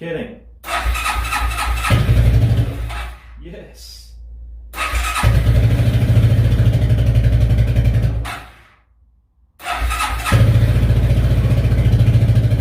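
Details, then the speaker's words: Suzuki QuadRunner ATV barn find, not run in 10+ years, first cold start on full choke: single cylinder catches, fades and restarts, then runs with an uneven lumpy beat; rough running after long storage. "well it's kind of running which is good it's awesome guys i can't believe that it didn't take that long to start take that choke off a little"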